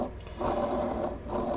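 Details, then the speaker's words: Yamaha XS650 crankshaft, removed from the engine, spun by hand with a gritty, grating whirr from worn bearings that have some play; the connecting rod also has slight side-to-side play. "So this is the crank that came out of this engine, and it's got a lot of wear on it, like these bearings."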